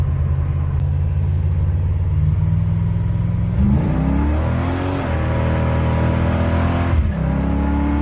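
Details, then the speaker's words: 1987 Chevy S10, 305 small-block V8, on cheap regular mufflers after a mechanical fuel pump replacement; a deep, even, quiet burble climbs with throttle without stumbling or misfiring, so it runs normally. "I mean, I know it's just a 305, but it's too quiet to be a S10 with a V8."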